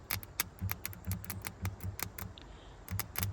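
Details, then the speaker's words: Volvo 240 with B230 engine, long-sitting wreck, fuse 4 jumped to fuse 6 to force the pumps: uneven dull clunks and clicks from the under-car inline electric fuel pump; suspected stuck fuel pump, not confirmed. "Sounds like it's stuck. I hear it clunk, clunk, clunk, clunk, clunk, clunk. Stuck fuel pump."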